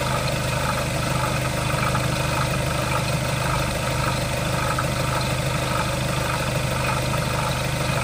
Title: Skoda Octavia 3 2.0 TDI - weird engine sound